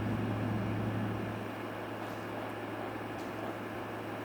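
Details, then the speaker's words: Air conditioner salvaged from a grinding warehouse, fins power-washed, running: steady low compressor hum with even fan rush, no knocks, rattles or squeals; blowing nice and cold, normal running. "was in a warehouse they do a lot of grinding here the compressor running Wow that's nice and cold where it's good"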